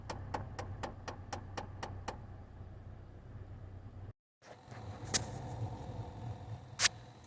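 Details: Chevrolet HHR: rapid, even clicking from behind the dash, about four a second, from an HVAC blend door actuator with broken internal gears; replaced with Dorman 604109.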